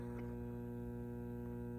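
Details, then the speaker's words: Fender Deville 410 tube amp: steady low mains buzz with even overtones persists with the 6L6 power tubes pulled, coupling via the B+ plate supply to the output transformer; leaky filter/reservoir capacitors, replaced. "pull out the power tubes you turn it on still hear the buzz which we do you have to think okay there are no tubes there but something is still coupling itself to the output Transformer"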